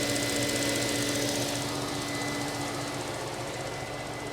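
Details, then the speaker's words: 1999 Mercedes S420 W140 V8 just after new throttle body installation: smooth idle with light fast ticking, about three or four taps a second; cam shaft oil tubes not replaced; power steering pump needs fluid. "oh yeah she sounds so good okay here a little bit of ticking"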